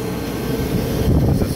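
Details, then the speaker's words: Kaeser 5HP three-phase rotary screw compressor on a single-phase VFD, heard over the vent: unloaded with the intake closed at 30 Hz, a low steady rumble with soft airflow and slight VFD whine, plus the refrigerated dryer fan. "over the vent I know it's not too much air noise but there's that thirty Hertz there's still air flowing you can hear the VFD whine a little bit"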